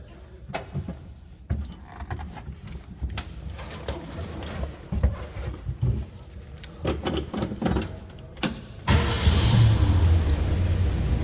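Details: 1966 Ford F-250 Good Humor ice cream truck with old V8, recent new battery, plugs, plug wires, distributor cap, rotor, rebuilt carb: several seconds of clicks and cranking, then it catches and settles into a steady, deep idle; normal cold start and idle.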